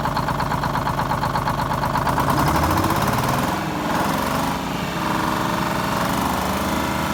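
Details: 74-year-old Greyhound bus diesel after fuel-system repairs and a new start-stop box, started to check for leaks: steady, even clatter at a settled idle with no misses, knocks or surging. Running fine.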